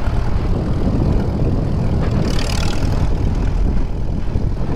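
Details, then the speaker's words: 1939 Farmall H repower on first test drive, pulling in fifth gear: steady low drone with no clunks or grinding; gear whine sounds normal for its age, though there may be slight rust on gears from sitting. "hey that sounds pretty soft solid yeah I'll take that jump you little booger I would say that sounds about like a normal age"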